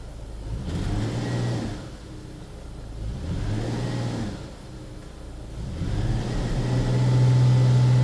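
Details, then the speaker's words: 2006 Ford Escape with misfire, held under load: note surges unevenly, dipping and stumbling every few seconds; intermittent misfire that won't occur every time, cause not yet confirmed. "see if I can't get it to skip and hold the skip cuz this thing it doesn't want to do it every single time"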